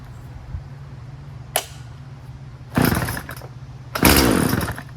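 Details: Poulan Pro 50cc 20-inch two-stroke chainsaw after repair: tank thought to be venting now, running 40:1 premix. Settles into a steady idle, then revs up cleanly in two strong bursts with no stumbling; runs healthy.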